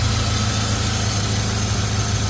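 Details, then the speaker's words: BMW E36 with oil filter housing seal leak: smooth, steady low idle with even beat, no knocks or hunting; runs very smooth, seal still needs replacing. "That's alright. At least it's running very smooth. And it'll do."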